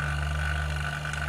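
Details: Half-HP vacuum pump evacuating a one-door refrigerator with the valve fully open, smoke from the exhaust as air is drawn out: constant low motor hum with a steady higher hiss, no grinding or knocking; pulling down normally.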